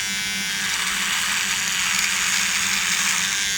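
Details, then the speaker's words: Cordless Beardscape trimmer cutting horse hair while compared against the corded Wahl Peanut: a steady high buzz holds pitch with no bogging, blade RPM not slowing under load; normal running. "running it through the same way the trimmer was cutting the hair better and not bogging down so the RPM of the blade was not slowing as I moved it through"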